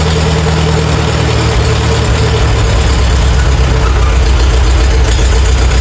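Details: Farmall A tractor revived after 10+ years idle (new radiator, fan, belts, hoses); deep, steady low-speed putter, even beat, no knocking or misfire; normal idle.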